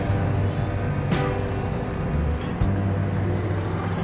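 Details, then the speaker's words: Honda ADV 150 at over 40,000 km, first start after crankshaft assembly and cylinder block replacement plus oil, coolant and gear oil change: steady, even, quiet low idle with no knocking; back to its original sound. "You know, kung naririnig nyo, tahimik na siya. Bumalik na sa dating tunog."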